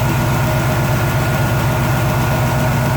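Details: Warmed-up Chevy 350 V8 idling with the valve cover off while lifters are adjusted running; steady light clatter, about four taps a second; lifter ticking, owner unsure whether the rocker nuts are loosening.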